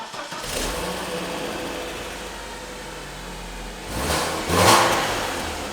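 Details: BMW E46 Compact after exhaust repair (new pipe clamped to the old one with assembly paste): engine cranks, fires and settles to a steady idle, then two quick throttle blips; exhaust sounds sealed, no puffing leaks.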